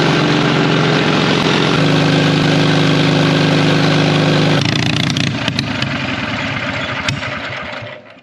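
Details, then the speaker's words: 1939 Caterpillar D4 (RD4) D4400 diesel, first start after rebuild, turned by gasoline pony motor at half throttle, full choke: pony motor drones, diesel chugs evenly but never fires; fuel from main tank was left shut off. "I was bleeding fuel ever everything was going we were starting to build fuel pressure and then all of the sudden no fuel's coming out anywhere and I'm going what what's going on here I had the fuel off coming from the main tank"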